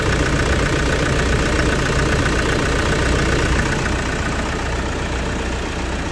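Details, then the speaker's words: 2008 Toyota Fortuner diesel with a crank-no-start, after replacing two thin, pinched O-rings on the suction valve instead of the pressure pump another shop diagnosed: starts and runs with loud, steady, even clatter, holding speed; normal running. "Andar Ah. >> Nakaligtas sa pamping ko yung oing ha."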